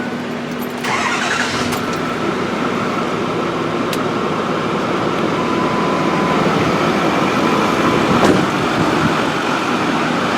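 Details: 6.4 diesel truck after turbo repair. Quick crank and catch in about one second, then a steady idle with a faint, even whistle. It starts cleanly and idles fine.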